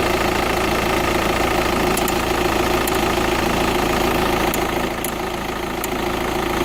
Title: Tdi ticking sound